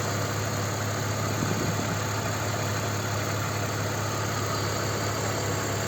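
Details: BMW E46 325ci, M54 inline-six, idling 100 km after adding Liqui Moly lifter additive to the oil for a lifter tick: steady, even idle with smooth low drone, no clear ticking; normal idle.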